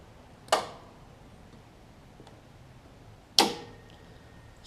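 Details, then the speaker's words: Craftsman DLT 46-inch riding mower, 25 hp Briggs & Stratton V-twin, with bypassed safety switches: two crisp clicks about three seconds apart as the electric PTO clutch gets about 11 V and engages, with the belts tight. This is normal. "turn the switch off so I'm getting power to the PTO with the switch on and the PTO is clicking the belts tight belts good"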